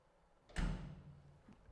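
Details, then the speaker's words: 2011 Casadei Libra 10 wide belt sander, damaged in shipping and being set up: a single sharp click as the door interlock knob seats fully in, acting as an automatic e-stop that tells the machine whether the door can open. Normal door interlock click. "It's an automatic like e-stop for the actual machine to know whether or not the door is able to be opened or not able to be opened. So when it's already put all the way pushed in, you can hear that click."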